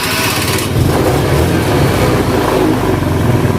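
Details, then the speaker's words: Honda Beat carburetor scooter after repair of starter that only clicked "tek tek" (starter wiring rerouted): catches quickly on repeated starts and revs up smoothly with no starter clicking; starting and running normal. "Mau berapa kali juga enak. Nah. Oh bakalan ada yang luka, mau 10 kali 100 kali dah nyala lagi loh. Oh. Normal udah ini."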